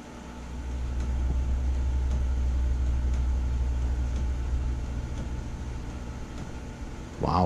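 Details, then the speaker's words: Takagi tankless water heaters on a tank cycle after the altitude DIP switch was moved up one step, raising fan speed 6%. A steady low fan drone is noticeably quieter, but it still gets louder as modulation drops from stage three to two. "it is quieter so i have the sun so it does get louder still as the modulation drops"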